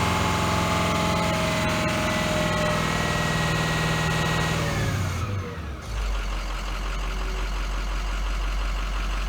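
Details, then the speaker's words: 2005 Ford F450 6.0 diesel dropping from a rev to a clattery, stumbling idle; a bad injector lets air into the fuel lines, causing misfire that gets rougher as it runs. "But then when I let my foot off the gas, it'll be running worse because we're pushing that compression through one of the injectors, and it's going back into the fuel system, and it's causing to have a misfire because there's so much air coming into the fuel lines. So it's starting to run rougher."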